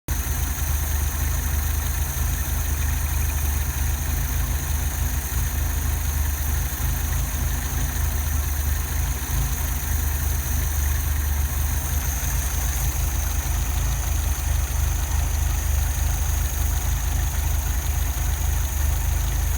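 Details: 1978 Fiat 124 petrol engine idling with a deep, uneven beat that wobbles rather than running smooth; rough idle.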